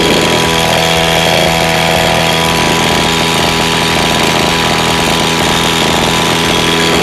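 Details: Lawn mower engine that is hard to start and runs unevenly; small engine buzzes fast with a raspy note that wavers and stumbles slightly instead of holding steady, rough uneven running.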